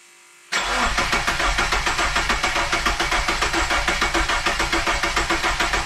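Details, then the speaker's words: Custom AWD Dodge Neon with a Subaru four-cylinder, first crank after 3.5 years off, fresh fluids: coil pack disconnected, gas pedal floored to cut fuel, priming oil; steady starter cranking about 3.5 beats a second, no firing. Oil light stayed on, fuel smelled. "I crank it with the coil disconnected holding the gas pedal on the floor should cut off the feel and uh yeah we'll try it out just to prime it when the oil light goes out"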